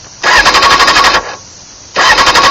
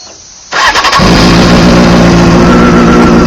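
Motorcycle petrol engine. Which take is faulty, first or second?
first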